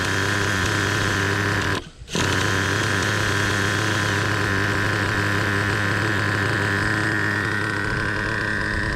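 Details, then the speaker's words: Traxxas Revo 3.3 nitro engine after idle mixture leaned from rich and idle speed lowered: low, steady buzzing relaxed idle with even firing, no stumbles or surges; idling smoothly and healthy. "So now the final adjustment, I've backed my idle speed down to where you hear it idling, which is really nice. Nice, what you'd call a relaxed idle."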